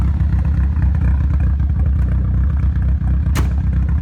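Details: Nissan Silvia S15 after complete respray with engine removed and reinstalled: deep, uneven stumbling idle with irregular shake; ran perfectly before engine removal, cause of rough idle not yet found.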